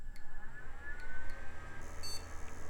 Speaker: all right those are happy sounds and we did post although it is complaining about my ridiculously long IDE cable